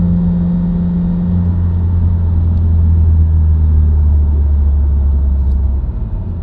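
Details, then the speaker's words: Subaru WRX, recorded inside the cabin while driving: low humming/buzzing drone under road rumble that rises in pitch with road speed but not with revs or gear, persisting out of gear. Dealer-diagnosed broken centre-diff viscous coupler. "Can you hear that little buzzing noise? It'll speed up and get higher pitch as I go faster."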